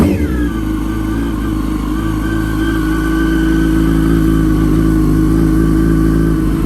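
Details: Wrecked 2006 Yamaha R1, just started after about 57 tries: revs then holds a fast idle with a thin steady whine over the engine, almost supercharger-like; owner unsure of the source and suspects the clutch.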